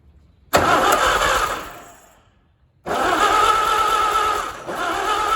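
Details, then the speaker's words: Allis Chalmers WD tractor engine first start after rebuild: catches, dies, then restarts and runs fairly steady with constant hum; sounds decent, though possible fuel problem with gas leaking from rebuilt carburetor, suspected float issue. "well looks like i might have a few little kinks here to work out on it but she started up sounded pretty decent"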